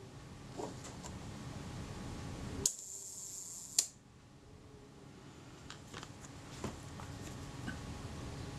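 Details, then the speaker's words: Kodak Retina IB (type 019-II) Synchro-Compur shutter after servicing, fired at the 1 second setting; two crisp clicks just over a second apart with quiet between, sounding accurate enough, to be verified on a shutter timer. "that sounds all right it sounds accurate enough for me to want to go and check that on this my shutter timer and see if it's good"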